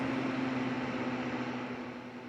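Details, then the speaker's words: Vintage Sears Kenmore 124.8055 (Mimar Dyna) fan after its failed speed coil was replaced with a triac motor control: a steady, clean whirring hum easing lower as it is turned down; normal variable-speed operation. "It's nice to have that complete variable speed. That's a little more reasonable."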